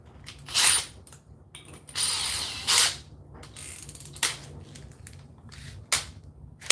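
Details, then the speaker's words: Makita XGT drill, first test: bursts of fast ratcheting clicks with no steady drive under load. "I I know you guys see that it's not supposed to make that noise and I'm not that strong but it just what the heck man"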